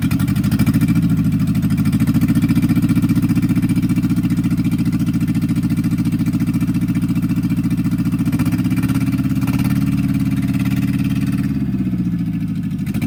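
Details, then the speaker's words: 1964 MG Midget Mk II running after 30 years sitting outdoors: loud, lumpy idle with uneven low beat that wavers; rough running blamed on dirty carbs with stuck plungers. "running a bit rough but it's [Music] running cars definitely need to be clean out"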